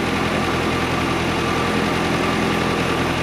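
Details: 1958/59 Austin Gipsy G1 M10 on 11-year-old original petrol, just started: low, somewhat uneven idle with a soft steady hum, no knocks or clatter, a little smoke; idling acceptably.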